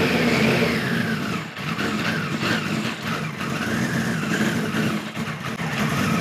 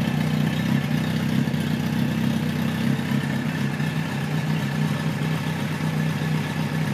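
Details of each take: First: 1973 Kawasaki Z1 900 four after a float needle replacement: uneven revving with repeated sags and stumbles; points sparking heavily, owner suspects bad capacitors and an ignition fault. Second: 1973 Kawasaki Z1 900 four: steady, even low idle burble with no misses or pops; runs pretty well but needs more carb tuning, owner suspects lean running when hot; air screws at about 1-5/8 turns.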